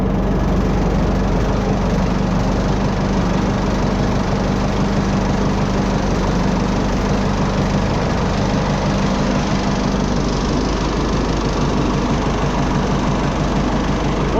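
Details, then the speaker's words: Oliver 66 diesel tractor, first run since 2023 after sitting about a year, on old fuel: steady low diesel clatter at even idle, no misses or knocks. Normal idle. "it runs just fine after, I don't know, a year"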